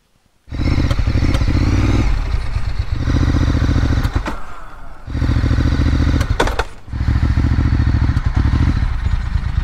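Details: Ducati S4R 996 V-twin with sporadic misfires: uneven, lumpy beat repeatedly stumbling and sagging between throttle bursts, at low speed and higher rpm; air filter, spark plugs and valves already checked.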